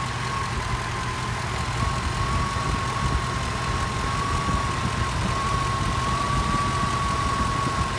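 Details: Petrol engine at idle: steady high whistle wavering slightly in pitch; power steering pulley wobbling; confirmed worn alternator bearings despite spinning fine by hand.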